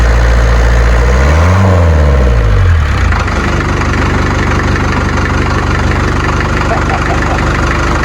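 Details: Series 2 Land Rover diesel, first start in three years after fitting a new starter motor, battery weak: the starter whirrs, the engine catches after about three seconds and settles into the typical diesel rattle-and-knock idle. Normal.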